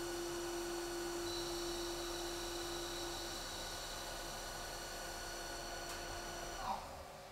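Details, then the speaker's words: Haas CNC lathe finishing a parting cut-off: steady mid-pitched cutting tone holding even, then dropping away as the part is cut off cleanly; normal cut-off operation. "so i'm going to go ahead and press cycle start and let it finish the cut off"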